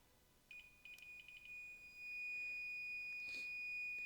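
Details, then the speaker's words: Mr. Heater tank-top propane heater that won't stay lit, multimeter continuity test across the tip-over (ball-bearing) switch pins while upright: meter tone stutters as the wire is lightly moved, millivolt circuit showing resistance; intermittent tip-over switch contact. "I hope you can hear my meter I'm just lightly moving that wire and that that'll definitely be enough to mess it up"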